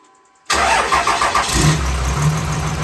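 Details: Freshly rebuilt 6.7 Cummins diesel swap, first start after cranking for oil pressure: catches quickly and settles into a lumpy, uneven idle with a missing beat; one dead cylinder from a damaged injector.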